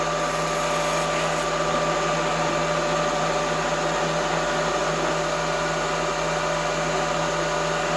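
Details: Drilling near a part edge with an unsupported pilot at high RPM, long stick-out, heavy feed: harsh steady screeching chatter with ringing tone over spindle roar; drill chatter from unsupported pilot.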